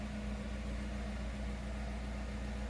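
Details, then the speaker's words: Jeep Renegade 1.8 flex idling after engine mount replacement: low, smooth, even hum with steady tone and no shudder or knock; the steering-wheel vibration felt with the broken mount no longer passes into the cabin. "é de cara pra perceber que é vibração aqui ó e não tá passando mais aqui para dentro não era muito não era pouco mais em e agora já não tem nenhuma"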